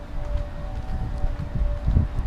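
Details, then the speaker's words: Lennox central AC condenser outdoors: a loud rough drone with a steady low tone and uneven throbbing underneath, far noisier than it should be, echoing along the sidewalk; a poor-quality compressor is suspected, not confirmed. "sounds horrible yeah that does not sound good at all you know that is definitely one of the noisiest air conditioners I've ever seen"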